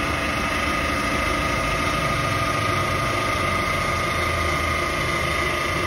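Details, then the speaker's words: Chevrolet Captiva diesel idling: steady whirring chirp over diesel clatter; engine noise found to be worn idler pulley and belt tensioner, both replaced, running smooth afterward. "nah bunyi di mesin itu ternyata setelah dicek e adalah bunyi pully idle dan Tensioner"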